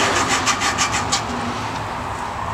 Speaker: when I spin it I like to push the valve up a little cuz it uh if you listen you can hear the the grittiness of the valve grinding compound it starts to smooth out after a few twists but you raise it and then it gets rough again